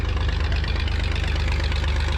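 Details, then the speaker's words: 1959 Chevrolet Biscayne six, unrun for about 40 years, brought to life by towing it in gear: a low, even, loping idle with no knocks or misses. It is running smoothly. "And hopefully this thing lights right off. It worked really good on that 34 Chevrolet truck that we did it on. She's running! We got her, Mojo!"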